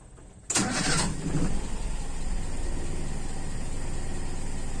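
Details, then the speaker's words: Toyota Kijang Super carbureted engine, warm with thermostat open, after idle jet changes: warm restart cranks briefly, catches and settles into a slightly uneven low idle; ignition timing deliberately set more advanced, seemingly too far. "sepertinya terlalu maju pengapian memang ini saya set lebih maju"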